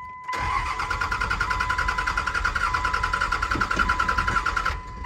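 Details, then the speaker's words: 2001 Dodge Cummins 24V, manual 6-speed, with two new batteries: strong, even cranking for four seconds with no firing; no fuel reaching the filter bowl, and the factory lift pump is suspected. "definitely sounds like a fuel issue it's cranking over perfectly fine we're having an issue with the pump or something"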